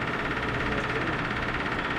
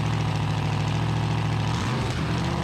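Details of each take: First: Cold first start of a 383 big-block V8 with solid lifters and new cheap headers in a lowered 1974 Dodge D100: uneven lumpy idle with a faint knocking edge, rough idle; cause unclear, timing advance tried afterward. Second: 1974 Dodge D100 with a solid-lifter 383 big-block, new headers and a loud exhaust, idling on a cold morning after the timing was advanced: lumpy but steady idle with exhaust rumble, no knocks or ticks, and the idle could be set slightly higher; normal idle.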